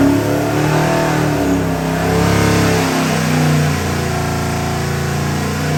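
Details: Ford 7.3L Godzilla V8 crate engine (625HP package, made about 630 hp) on a dyno, BTR intake, Holley pulley system and pan with internal pump, custom grind cam, for a '51 Ford F100; deep even V8 roar climbing and settling through revs, no knocks or misses, normal revving.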